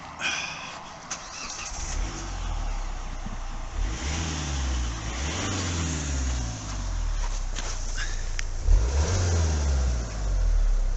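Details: Kia Venga 1.4 CRDi diesel that had been blowing black smoke under load, after replacing the intercooler and refitting a cleaned MAF: catches quickly, revs rise and fall smoothly with no stumble; normal start and rev.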